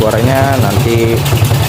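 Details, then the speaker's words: Honda Supra (restomod project) motorcycle on first start before teardown: uneven, lumpy idle with a loose metallic rattle and jingling over the low thump. The engine dies unless the throttle is held. "Selain itu, mesinnya mengeluarkan suara yang berisik. Bunyinya berderak. Terdengar bunyi gemerincing, dan pedal gas harus ditahan atau mesin akan mati."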